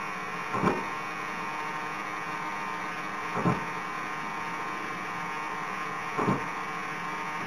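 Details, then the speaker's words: HobbyKing Su-26 50cc model with HobbyKing 15298 HV digital coreless servos and Orange R910 receiver: a faint hum with buzzy servo jitter bursts about every three seconds, returning when one split-elevator half is plugged in and gone when it is unplugged. "it's working and it's jumping around now if I unplug this hot so to speak I can do it with uh no hands safely so unplugging the elevator half completely eliminates the issue"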